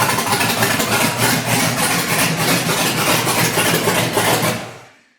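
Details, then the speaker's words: LS-swapped S10 with new Hooker Blackheart 3" exhaust, fuel pressure 57–60 psi, new O2 sensors swapped with the Bank 2 problem unchanged: fresh-start idle that is uneven and stumbling; runs rough, cause unknown. "I would start it, but the thing runs absolutely terrible. So I'm just gonna leave it as is."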